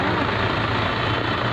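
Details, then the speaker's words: Suzuki Liana M13 petrol engine idling parked with AC and headlights on for load; lumpy, uneven low beat with one cylinder missing and jerking, an ignition coil misfire with RPM fluctuation. "ये देखें एक cylinder बिल्कुल smooth नहीं है पहले बीच में रुकता है झटका मारता है ये देखें ये खड़ी गाड़ी का इंजन सर मार रहा है"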